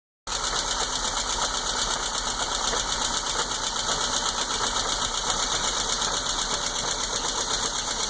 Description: Knocking or popping sounds from a 77 Spitfire while idling.